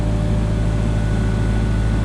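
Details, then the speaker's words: Genie S40 boom lift's Ford LRG 425 engine (machine possibly 2001) just after timing belt and tensioner replacement: starts right up with a steady, even low hum, no misses or stumbles; runs smoothly, confirming correct timing. "Starts right up. It sounds smooth, so we know our timing's good and everything's good."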